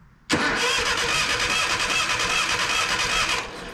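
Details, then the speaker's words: Abandoned 1980 Datsun 720, battery cables hooked up and grounded straight to the engine, wired at the solenoid: quick, even, strong cranking for about three seconds with no dragging; healthy starter, sounds like a little firecracker. "she sounds like a little firecracker"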